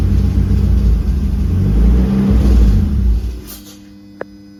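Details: BMW M52TU 2.8 turbo engine idling: deep, low rumble with a slightly uneven pulse before it dies away; possibly rough idle, cause unknown.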